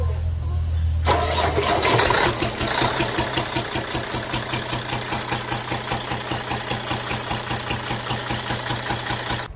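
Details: Peterbilt with a CAT diesel: the engine fires up, then pops sharply back through the intake about two to three times a second. The cause was a bad number four exhaust valve from a worn camshaft lobe, with number six also affected.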